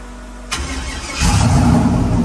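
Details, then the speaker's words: LS engine now on a stock truck intake after a shaved intake broke, hood cut for clearance: the starter cranks briefly, the engine catches at once and settles into a steady, even idle with no misses; a healthy start. "So runs and idles just like it should."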